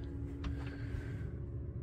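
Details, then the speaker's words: Diesel heater running in a van, heard near the pump and inside: low steady rumble and even hum with no ticking; fuel pump quiet after fitting a roughly 10 cm longer rubber connector hose so the stiff polyamide fuel line no longer transmits clicking. "so the the heater is is running so you can hear the the noise of the the heater but there is no clicking noise even here you can you can't really hear"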